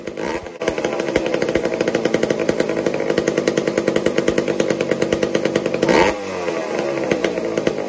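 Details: Old McCulloch 1-10 chainsaw, long unused, being tuned: crisp, even two-stroke buzz, erratic at first, settling to a regular idle around six seconds; runs healthy.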